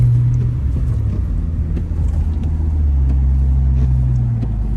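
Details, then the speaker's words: 2011 Infiniti G37 driving on the road: steady low droning hum under road noise, holding level with speed rather than engine revs; worn front wheel hub bearing, hubs and upper control arms being replaced. "should be pretty uh pretty audible you should be able to hear that it's going like that's your first sign you need a wheel hug"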